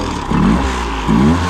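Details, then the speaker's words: 2008 Honda 20hp four-stroke tiller outboard, restored after seizure, mixture screw set just past two turns out (leaner than 1.5-1.75): two quick throttle blips rising smoothly without stumble; hesitation largely gone. "So, it doesn't seem to be doing the hesitation as much on the throttle. Then I just like immediately give it."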